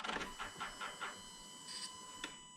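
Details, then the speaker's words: 2000 Chevrolet Silverado K2500 GMT400 after LS swap, in park at first key-on: faint short electric whirr then quiet as fuel pump primes normally; checking for leaks at injector spacers. "So we're in park. The fuel pump kicked on. Hell yeah."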